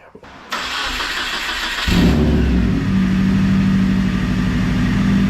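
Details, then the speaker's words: Subaru WRX on jack stands, put in first and second gear with no load: engine catches and runs steady, then a rough, gritty drone once in gear, only the rear wheels spinning; gears grind, clutch or transmission fault not yet determined. "Alright, so like with the when I went through first and second, it grinded."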